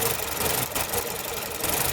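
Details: Nissan Platina idling roughly with an uneven, stumbling beat and lumpy dips. Owner reports power loss and shaking at traffic lights, with backfiring from the exhaust. Spark test on cylinder 1 during scanner-free diagnosis found a faulty ignition coil causing the misfire.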